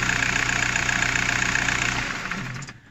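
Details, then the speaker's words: VW Golf 4 diesel after fixing a chafed wire that caused cutting-out/vibration, no parts replaced: even idle clatter then quiet wind-down at switch-off, no shudder; smooth shutdown. "دابا راه ها هي وكترجع بشويه. دابا راه القضيه عنده مزيانه، راه داك الخيط هو اللي كان داير المشكل، ما بدلنا لا الكتروفان لا والو."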